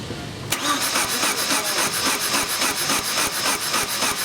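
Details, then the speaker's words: 2000 Chevy S10 with a 2.2L engine that died after a downstream O2 sensor replacement. Spark and fuel are confirmed, yet it cranks quickly, lightly and very evenly, about 3.5 beats a second, with no compression drag. Broken timing chain. "I don't like the way this thing sounds it sounds funny the way it's cranking but we have spark we have fuel we have to go in another Direction"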